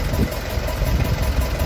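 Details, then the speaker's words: Marine diesel flooded with seawater, running after a diesel flush of the block during the first of several oil changes; low, fairly even chug with slight unevenness, no knocking, running again. "all right so she's running again as you can"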